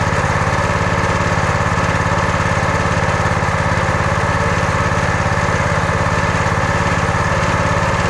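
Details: Briggs & Stratton engine, roughly 5–6 hp, on a Brute 30-ton log splitter that the customer said would not start, after repair: a steady, even single-cylinder putter at constant speed with no misses or surging, running normally.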